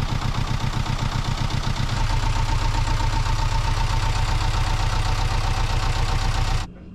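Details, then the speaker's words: Sailboat diesel engine that had overheated, after new impeller fitted with handmade bicycle-tube gasket: even, low thumping idle at a steady beat with water circulating, no knocks or squeals, then shut off; normal idle. "our engine is back in business with a new impeller hopefully without any problems overheating for at least another year"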